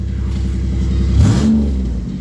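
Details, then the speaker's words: Old Chevy Impala that had failed to start: short, clean rev that rises and settles smoothly with no stumbling or popping; owner suspects an ignition issue such as failing coils or wiring. Normal running. "You're running perfectly fine now."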